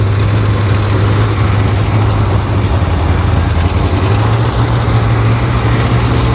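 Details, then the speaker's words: Long-sitting car beside a 1955 Chevy Bel Air project, started: deep, heavy idle that lumps and stumbles unevenly instead of settling; rough idle, owner suspects timing way off though nobody touched it. "Man, that sounds... timing is way off, guys. Listen to that. Nobody's messed with the timing, though. There it goes. Oh, she's bad. She is real bad."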